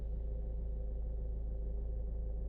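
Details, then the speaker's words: Cheap high-mileage Ford idling in gear before a planned service: low steady rumble, even pulse, no shudder; idling happy, though owner notes occasional idle shudder like a misfire with no codes or warning lights. "I'll be quiet for a sec so yeah you know she's idling happy"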